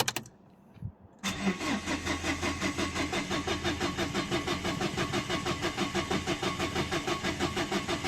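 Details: 2011 Dacia Sandero Stepway, 1.5 dCi diesel, with a rail pressure sensor fault code. A short start, then a steady starter churn at about three beats a second that never catches: cranks, no start. The cause was still unknown and the car was towed.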